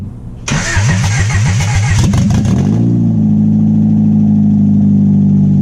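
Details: 1996 Honda Prelude Si H23A1, first start after engine install, sat six to seven months on old fuel, very loud open exhaust. Cranks about two seconds, catches, then a slightly uneven idle; rough running, cause unconfirmed.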